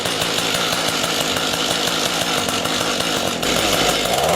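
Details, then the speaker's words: Two-stroke rototiller engine, stored over winter with fuel in it, after carburetor cleaning: it buzzes but bogs and stumbles instead of taking throttle, because the low-speed mixture screw is too lean and needs opening slightly. "now you hear how it won't take the throttle that's the low adjustment we need to open that screw a little bit"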